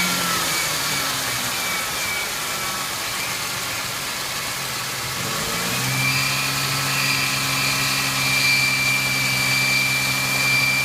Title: 1999 Ford Mustang 3.8L V6 Squeal sound from engine